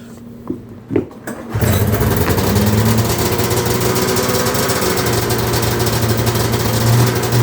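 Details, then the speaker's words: Cold start of a $130 Arctic Cat 340 snowmobile, fresh oil, exhaust hole repaired, water previously in the tank: a few pulls, then the cold two-stroke fires at once and settles to a steady, even buzzing idle; healthy start. "Engine looks fine. Put new oil in it. Engine's cold as balls. It's literally cold as balls."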